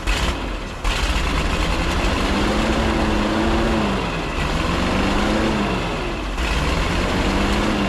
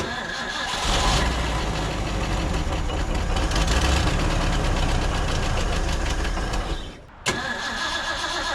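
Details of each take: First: 1950s Ford F5 tow truck, abandoned and sitting outside for a long time, idling on its own after carburetor work, with fuel switched back to the truck's tank; low steady rumble, slight speed drift and air hiss, normal idle. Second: 1950s Ford F5 tow truck, long abandoned outdoors, with the air filter refitted: the engine catches, runs unevenly for several seconds, then dies and coughs once. The carburetor is suspected, with fuel leaking from the accelerator pump and gas all over the engine.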